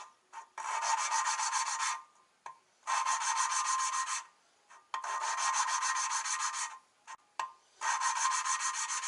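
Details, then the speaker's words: Hand-lapping valve number 7 into the head of a forged RB25DET engine (R32 GTS-t Skyline), rotating and lifting: gritty back-and-forth rasping in bursts about two seconds long, growing less harsh as the seat beds in. "You can hear how the sound's a lot less raunchy. Word of the day, raunch."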